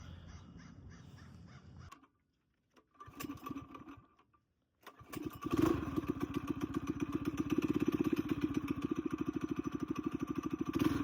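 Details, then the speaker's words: Coleman BT200X mini bike rebuild with torque converter, aftermarket exhaust, 24mm carb replacing the stock carb and billet flywheel, on a test run: a couple of stumbles, then a quick even exhaust pulse; runs well and faster. "Definitely faster than a stock carb on here. So yeah, that was a great test run."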